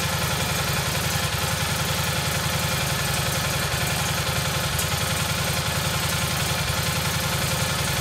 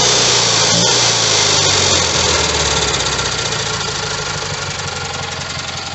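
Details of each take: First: Rebuilt single-cylinder Kohler Magnum M18 from a Cub Cadet 1882, first start in two years on a test stand with a gravity-fed tank, targeting about 1400 rpm: a steady thump near 160 a minute with a slightly uneven beat; running a touch rich, the carb needs tuning. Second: Rebuilt Kohler Magnum M18 single from a Cub Cadet 1882 on a test stand: fires right up, quick even putter about four beats a second, no knock or stumble; healthy running engine.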